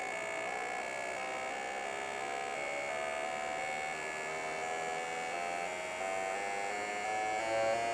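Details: Fuel injectors on a test bench, pulse rate climbing with needle opening and closing: even electric buzz with tones stepping upward; injectors firing cleanly, nothing abnormal.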